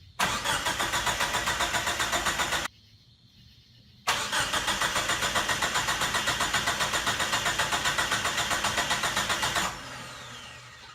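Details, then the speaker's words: Mitsubishi Mighty Max with swapped 4G63 engine on first start attempt: two bursts of starter cranking at about four turns per second that never fire. Cranks, no start; owner suspects no fuel since the fuel pump can't be heard. "The engine does crank, and you can see the timing wheels turn, which means that the starter does connect to the flywheel correctly, which I wasn't so sure about, but those work. Unfortunately, it's not firing, and I believe it's not getting fuel because I can't hear the fuel pump a"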